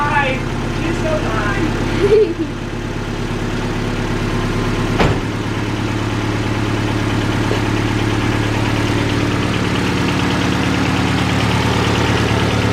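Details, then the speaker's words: Honda Civic first start on an eBay turbo kit after fixing a water leak: after a couple of bumps it settles into a steady, fairly even idle with no knocking; runs healthy. "I'm gonna start it up so yeah time for the first start with this setup"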